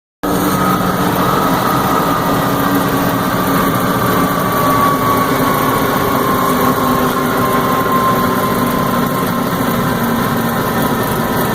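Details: M925 military truck heavy diesel idling steadily with a thin whining tone slowly sinking in pitch; owner asks what the odd noise is, cause unidentified.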